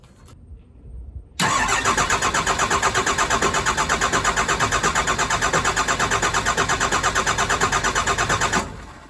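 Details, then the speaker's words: Cummins diesel truck just fitted with a new pump: the starter churns steadily for about seven seconds and never catches. Air is in the fuel system, to be bled by cracking the injectors. "so I phoned a friend and we're gonna have to crack all the injectors on the all morning crack three of them and get the air out of the system"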